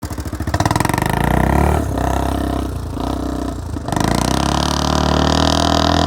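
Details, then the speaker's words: 1979 Honda XL500 single-cylinder motorcycle revving and settling with a light top-end tapping that worsened from fairly quiet to quite tappy over two commuting rides; valvetrain noise, top end opened for inspection. "all right so the top end on my 79 xl500 is started tapping uh pretty badly"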